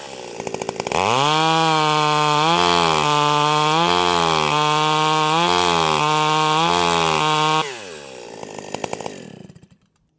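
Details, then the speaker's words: Stihl 028 AVEQ chainsaw with a non-stock pipe, cutting a log at full throttle: screams cleanly, pitch sagging and recovering in the cut, then barks and burbles four-stroking once pulled out; high-speed carburetor well tuned. "okay there we go so that sounds amazing so as soon as I pull it out of the cut you can hear it do that that barking a little bit"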